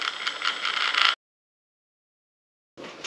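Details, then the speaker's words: Carisma SCA-1E Toyota Tacoma TRD Pro RC crawler, first drive: short bursts of harsh gear chatter and ratcheting grind; owner suspects little grease in gearbox. "doesn't sound very smooth the Range Rover sounds like Silk so all I can think is that there's not a lot of grease in there"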